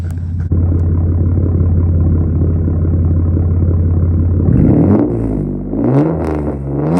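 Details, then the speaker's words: Mitsubishi with MIVEC and a distributor, six-speed manual, recorded from the rear, where it is even louder: a loud, deep, steady burble at idle, then sharp blips that climb and fall with throttle. Sounds like an unmuffled straight-pipe exhaust note. "But from the back, that thing's even louder. So we'll see if we can get some exhaust notes just so you can hear what it sounds like."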